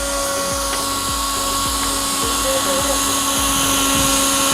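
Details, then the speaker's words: Rock splitter breaking bedrock in a Manhattan sewer repair excavation. A steady high whine grows louder while it breaks under pressure, with fast irregular ticking underneath. Finding: normal operation under pressure. "Like right now, it's getting louder? Yeah. It's breaking right now. It's under pressure right now."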